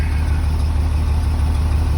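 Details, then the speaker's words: 2003 Blue Bird bus, International DT466E diesel, just started at 11°F after jumper cables and ether, building air: deep, even idle with smooth steady rumble, no knocks or misses; normal cold-start run. "Well, there she goes. Now, let's see if she builds air. Yeah, it seems to be building air, so I guess our work here is done. Yeah, 11 degrees cold start."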